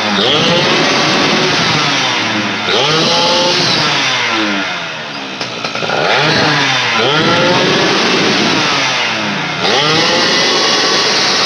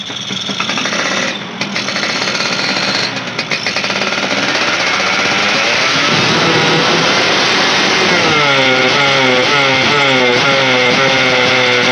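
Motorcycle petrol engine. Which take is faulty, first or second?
second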